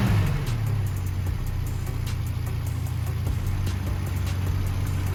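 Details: 4K engine after tune-up and valve clearance adjustment that cured ticking from the head, carb also retuned: low, steady idle with even pulses, no tapping from the top end; normal idle.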